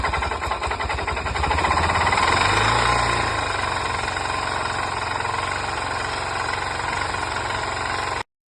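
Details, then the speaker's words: Single-cylinder four-stroke dirt bike engine (DRZ 400 type) at idle: heavy, fairly regular knock around 220 per minute, far louder than normal valve tick; serious internal knock, cause not confirmed. "I mean I I don't need to explain uh that sounds unhealthy that's something uh similar to what we seen in the first video here"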